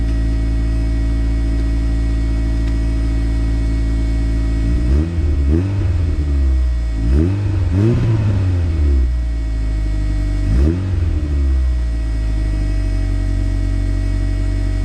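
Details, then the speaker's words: Turbo Honda CRX with new full exhaust after fixing raspy exhaust: deep exhaust note climbs smoothly through light blips and settles evenly, no rasp or drone, healthy. "guys it sounds so good even with some light revving i'm hoping that this thing does not drone"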